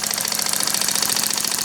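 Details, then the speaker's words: Small horizontal steam engine (aluminium casting, piston valve, 9/16" bore, 3/4" stroke), freshly timed and running clockwise at about 3 lb pressure. Quick, even exhaust chuffs at a steady rate with no knocks or hesitation; it runs smoothly. "Okay, it's ready to rip. It's all been adjusted and set so the timing is just right."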